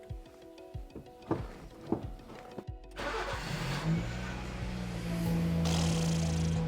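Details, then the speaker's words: Vehicle restored from long storage, which would not start the day before for lack of fuel: brief crank, catches straight away and settles into a steady, even idle; clean, healthy start. "Straight away! Can't believe I struggled yesterday so much. It was just the fact that there was no fuel."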